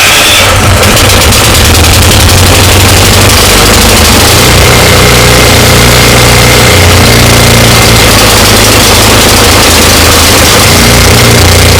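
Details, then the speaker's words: Ariens 24-inch snow blower, 9.5 engine, electric start, had sat and ran missing badly and wouldn't stay running; after Seafoam it starts with a loud rough roar settling into a steady run without stalling. "and there you have it it runs"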